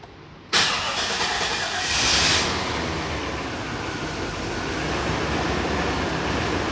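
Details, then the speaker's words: 2000 Chevy crew cab dually, first start after about five years sitting, fuel system primed, no leaks: brief crank, catches at once, steady even idle; great oil pressure. "never even a doubt that's impressive you gotta love the chevy's got great oil pressure"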